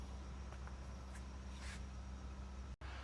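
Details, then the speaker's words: Jeep Wagoneer S front door speaker playing a 65 Hz test tone after repair of the door panel: a steady low hum with no buzzing. The panel rattle is gone. "And back over here at our door panel, nothing. That crazy rattle's gone."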